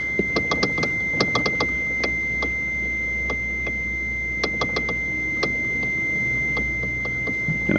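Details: Toyota Prius (about 2012), noise reported at a brake light: sharp irregular dry clicks as the steering column is turned by hand under load; suspected play in the intermediate shaft; steering column clicking.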